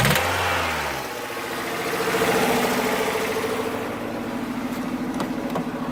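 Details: Toyota 4A-FE engine revving up and down with a faint, irregular knock over the revs; source unknown, owner cannot identify it.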